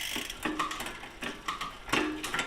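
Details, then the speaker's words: Biktrix e-bike in a stand after adjusting shift cable tension a quarter turn at a time: crisp gear-change clicks and a light freewheel tick, with no clicking noise or chain jumping. Normal shifting, road test still pending. "So, that looks pretty good. No more clicking noises. No more chain jumping around."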